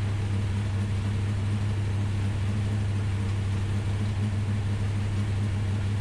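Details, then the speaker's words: Ultima GTR V8 supercar, sat 7 years unused in a warehouse, second start with oil pressure confirmed: deep, steady, even rumble with no knocks, ticks or misses; runs surprisingly well, normal idle. "The Ultima GTR is alive, and honestly, it runs surprisingly good for having sat in the corner of a warehouse for 7 years, not running."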